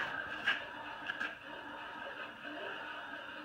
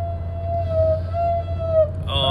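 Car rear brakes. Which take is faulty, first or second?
second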